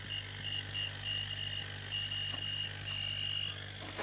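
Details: Homemade air compressor built from an old fridge compressor, running after a loose wire was reconnected; steady low mains-pitch hum with a faint airy whistle, even and unchanging, air coming out of the outlet while the inlet sucks; normal running.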